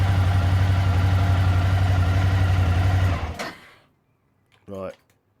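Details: Suzuki DL1000 V-Strom started briefly during a service, after an oil drain, to let the oil settle before topping up. A deep, steady V-twin thump at an even beat, then switched off: normal, healthy idle.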